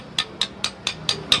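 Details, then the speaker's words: Hero Splendor Plus BS6 engine opened, crank shaken by hand: seven sharp metallic clacks about four a second showing excessive play; worn connecting rod big-end bearing, rod and bearings to be replaced. "इसके अंदर से एक sound आएगा आप सुन पा रहे होंगे दोस्तों कितने इसके अंदर से साउंड आ रहे"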